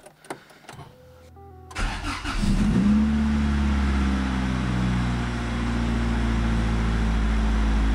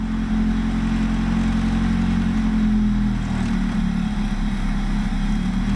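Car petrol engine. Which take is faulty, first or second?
second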